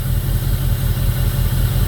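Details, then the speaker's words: 2002 Jeep Grand Cherokee 4.7 HO V8 with melting coils and misfires: after one coil was unplugged and plugged back in, the ECU didn't pick it back up, leaving a lumpy idle on seven cylinders; restarting restored a smooth idle. "So, she's still only running on seven cylinders."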